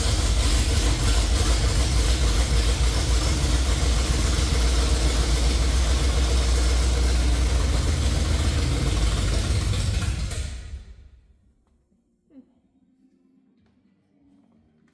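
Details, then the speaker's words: 1968–69 Chevrolet C50 truck V8 after refitting the distributor cap runs in a deep rough chug at three or four beats a second for ten seconds, then stalls; the carburetor is suspected of fuel starvation and may need a kit. "not sure that our carburetor is getting the fuel in it 100% might have to tear it apart and put a kid in it"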